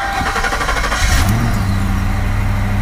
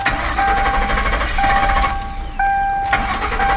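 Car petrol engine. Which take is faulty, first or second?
second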